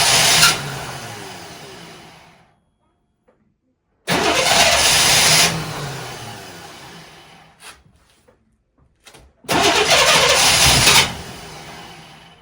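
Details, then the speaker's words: 1998 Chevrolet C1500 farm truck after new fuel filter and spark plugs: three long cranking bursts with silent pauses, never catching, fuel pump cycling to fill new filter; long cranking without starting, truck ran intermittently, cause not yet found. "5 days later, and it never started. How does changing a fuel filter and spark plugs make a truck run, not run, run, not run?"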